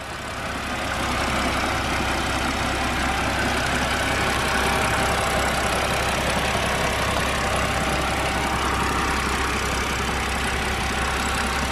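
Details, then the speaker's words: BMW 130i N52 engine idling outside after quick temporary fix for hydraulic lifter tick, worst on cold starts: steady idle, lifter tapping gone, only faint quick injector tick remains. "the ticking from the hydraulic lifters has pretty much completely gone the only ticking you are experiencing now is from the injectors but that sounds so much quieter"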